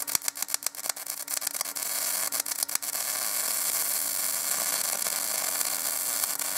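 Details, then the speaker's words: Binzel-style MIG gun on .030 wire with matching .030 tip: crackling arc sputters and stutters unevenly for a few seconds before steadying, caused by a worn liner feeding wire unevenly; replacing the liner cures it. "you'll see every time it sputters and stutters is because of the liner you switch the liner and it will go away"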